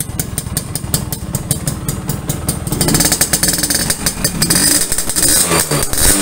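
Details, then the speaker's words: Restored Yamaha V80 two-stroke (said to be 1980) with an opened-up exhaust tuned for a crisp but stock-level sound: even popping at idle that picks up cleanly on a throttle blip, no misses or rattles; healthy. "knalpotnya juga sudah kita bobok teman-teman jadi suaranya benar-benar garing garing garing tapi garing standar gitu ya jadi enggak garing galak gitu"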